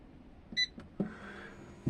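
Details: Off-grid inverter running 230 V 50 Hz: one short, clear high beep and a couple of soft clicks as it powers up normally.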